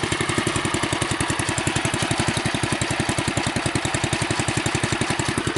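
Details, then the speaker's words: Bolens Husky 600 tractor with newer carburetor and new elbow exhaust pipe: rapid, even, soft muted exhaust pulses with no misses; significantly quieter than before, a healthy normal idle. "So, you can hear it's significantly quieter than it was before."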